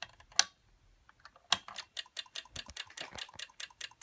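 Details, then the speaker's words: Late-80s/early-90s Onkyo Integra TX-870 receiver stuck in protection mode, with sharp relay clicking about four times a second. It clicks for about 20 seconds, shorter on each retry, then shuts off. The fuse checked fine, and the clicking seems to come near the power-supply filter area. "and there it goes in uh fast clicking it will click for about 20 seconds then it will turn completely off"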